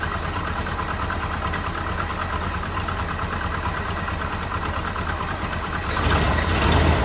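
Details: 1984 Jeep Wagoneer, carbureted engine with an electric fuel pump, run after sitting, choke high idle knocked down: it settles into a steady, even idle with a soft regular pulse, briefly picking up near the end; normal healthy idle.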